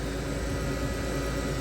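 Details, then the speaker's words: Vehicle electric A/C compressor near 6,000 rpm, hood up, fresh-air mode, 70°F ambient, set to max cooling, dash vent about 47°F: steady, even whir, constant pitch, no knocks or rattles; normal high-speed compressor running. "That thing is winding. So it's trying to do its job of holding and maintaining the indoor air temperature to what is called for, which is minimum."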